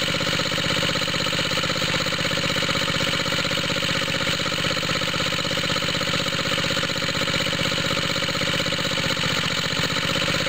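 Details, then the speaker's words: Water pump rig engine cold start after fitting exhaust tip, low compression: even four-beat-per-second throaty puffing; owner suspects head gasket leak where smoke escapes, needing head gasket replacement. "I keep seeing smoke coming out of here. Almost sounds like that makes it throatier."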